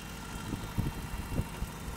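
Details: Toyota 22RE in a 4Runner on 5W-30, cold start and rev: irregular dull thumps over a low engine rumble; owner suspects timing chain and/or rod knock, unconfirmed.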